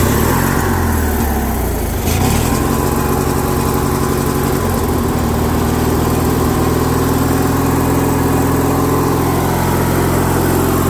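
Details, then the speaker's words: Craftsman lawn tractor, Briggs & Stratton opposed twin, after carb repair: holds a fast, even drone with no surging; idle just set high, needs the idle screw backed off. "so that did the trick guys usually it does now after you do this you will sometimes have to pull back on the idle screw here"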